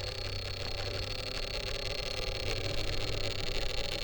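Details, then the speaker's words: RC crawler with Furitek Python X and Dynamic 380 motor, slow crawling on rocks, not in a bind: steady buzzing drone with uneven surging, jerky all-or-nothing throttle; owner suspects the motor/FOC needs more tuning. "It sounds like that motor is just not happy. And it's not even on a bind or anything."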